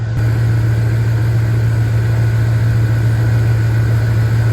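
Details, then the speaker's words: Jeep Grand Cherokee 5.2 V8 after topping up oil, now with good oil pressure: deep, steady idle with an even rumble, no knocks or misses; a light lifter tick described as normal and smoothed out. "You guys hear that lifter tick? It's normal. It's smoothed out. And she's running great."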